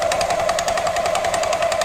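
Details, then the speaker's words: After the variator belt snapped and was replaced: rapid hammering knock, about a dozen hits a second, from the rear over a high steady whirr while revved; belt doesn't drive, owner suspects the knock broke the belt, cause unclear. "В общем ремень заменил но какой-то стук непонятный такой идёт вот в задней части не знаю походу из-за этого и ремень и оборвало"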